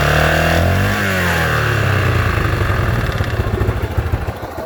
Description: Engine noise after new hotrods crank and wisecracking piston